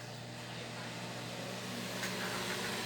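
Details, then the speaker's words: Brastemp microwave after repair of a loud noise that blew its protective fuse, 30-second test heating water: even mains hum, steady mid-pitch drone, no crackle or arcing; noise gone, fuse no longer blows, normal running. "e acabou aquele barulho não tá queimando mais o fusível é bom"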